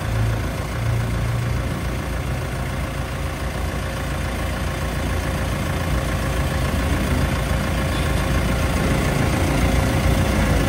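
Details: Mitsubishi L300 FB van after fixing a noisy, leaking AC compressor and fitting a larger condenser: steady, even engine idle with AC compressor running smoothly, no knocking, grinding or squeal; normal.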